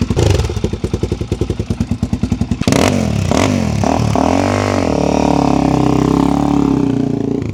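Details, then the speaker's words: 2006 Suzuki DR-Z400SM after fitting an FCR carburetor (52 pilot, 155 main jets), new airbox and Yoshimura exhaust: single-cylinder thumps at a steady even beat of about nine pops a second; healthy idle with no misses. "Ticking over. Absolutely sweet now."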